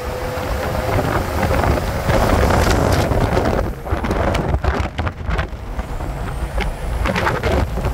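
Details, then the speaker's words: 1998 Ford F1000 4x4 driving: loud, heavy low roar rising and falling with road speed from the running gear; cause not yet pinned down. "Você está escutando esse barulho aí? Um ronco bem alto?"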